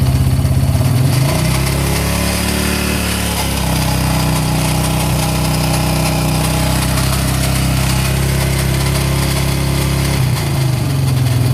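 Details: Yamaha Raptor 700 with valves properly adjusted: a thumping idle with a small rev blip and a metallic rattle over the beat; owner can't locate it and wonders about crank, rod or head.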